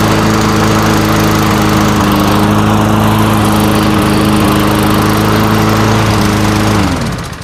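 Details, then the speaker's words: Old Tecumseh-powered Yard Machines walk-behind mower that would not start, after its carburetor was replaced: it runs at a steady, even governed speed with a clean buzz, then shuts off; normal running. "Yep. For an old Tumpsa, that sounds pretty good."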